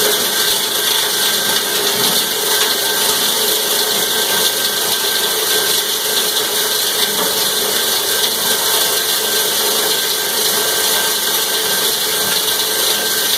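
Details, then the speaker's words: Cumberland 7.5 hp granulator, 12x12 cutting chamber, grinding PVC (Schedule 40 pipe, P-trap, fittings): steady hard hiss and chatter of plastic chips being chopped, even load, no labouring or knocking; normal operation. "That's the biggest stuff I had laying around the shop. So we're going to grind that real quick."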